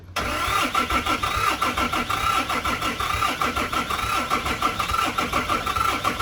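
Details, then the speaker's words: 2008 Dodge Ram 3500 6.7 Cummins diesel, after running rough with an unknown noise, won't restart; steady rhythmic cranking about one pulse per second that never catches, owner suspects dead batteries. "Okay. Well, now it's not wanting to start. I wonder if I killed the batteries."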